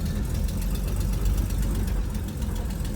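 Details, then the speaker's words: 1964 Chevy Nova with automatic choke: uneven lumpy idle with faint rapid ticking puff over low rumble; running a bit rough, owner suspects an exhaust leak too. "we'll get this thing figured out yeah this thing's running just a little bit rough"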